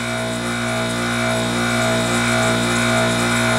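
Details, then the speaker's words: Airtemp CIV08S2AC 7,600 BTU casement air conditioner with compressor running: even, steady hum with faint gas hiss, no clatter or cycling; it has a good charge and is blowing ice cold. Normal compressor running. "You can hear the gas going through, it's got a good charge."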